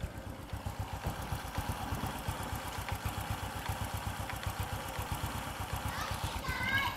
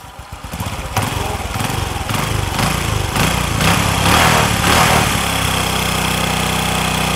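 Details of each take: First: Vietnamese Suzuki FU (Fu 2) motorcycle after repair of persistent white exhaust smoke and a repair removing an echoing clack; steady, clean single-cylinder putt at about four beats a second; normal idle. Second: Honda Future 2 motorbike with smoke problem: rough groaning run with a clunk every two or three turns under load, then stall or plain idle; clutch groaning and clunk with stall, faulty clutch.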